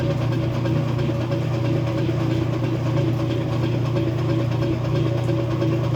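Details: Kenmore 70 Series washer draining: steady low motor hum with faint irregular clicks once or twice a second; clicking noise during drain, cause unclear.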